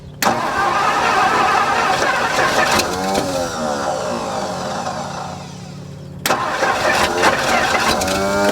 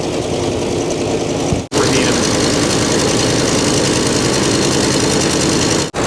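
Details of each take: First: 1964 Mercury Montclair four-door, abandoned 28 years in the Arizona desert, fuel pump hooked up, in park: slow, uneven V8 cranking at about three turns a second that never fires; may need gas poured in. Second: 1964 Mercury Montclair, abandoned 28 years, first run with oil pressure up and the alternator charging but no water in the cooling system, run only briefly: a steady, even V8 idle that sounds like it's firing on all cylinders.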